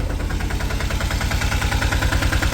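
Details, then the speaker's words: Autorickshaw diesel engine started in the morning after a night of heavy rain: the intermittent, broken beat settles into a continuous even thumping at one steady speed with no skips as it warms, a normal idle. "ഇപ്പോ ആ sound ഒരുമാതിരി continuous ആയി ഒരേ beat ആയി അതായത് ആ വിട്ട് വിട്ട് അടിക്കുന്നത് മാറിയിട്ട് ഒരേ ഒരു സ്പീഡിൽ ഇപ്പോ നമ്മുടെ വണ്ടിയുടെ എൻജിൻ അങ്ങോട്ട് സൗണ്ട് വരാൻ തുടങ്ങിയിട്ടുണ്ട് കേട്ടോ"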